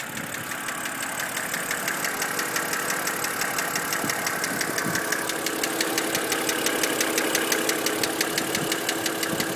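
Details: BMW N52B25 engine at idle; sharp regular ticking about three per second clearly over a smooth idle; a knock of unknown cause.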